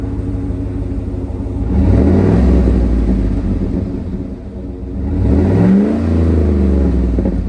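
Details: 2011 Cadillac Escalade V8 just bought from Carvana: catches and settles into a deep, even exhaust burble with a couple of clean rev blips; healthy, no ticks or misfires.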